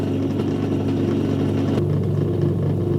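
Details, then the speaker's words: Hotpoint Empress vintage single-tub washer, pump draining water through a heavily scaled pipe during a test wash: even low motor hum with a slight shift midway as the water moves; drain pump running normally. "yeah that's it you just drain it out like this it's not bad actually"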